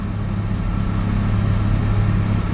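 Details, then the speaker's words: Mazda RX-7 rotary, extremely high CO (2.70), failed inspection: uneven stumbling burble missing beats, misfiring only under light throttle; ignition leads measured, spark plugs new; no oil pressure, no leaks; cause unknown. "And this misfiring, it's only making when I push a bit the throttle, just like that, just a little bit, and as you can see, it's misfiring."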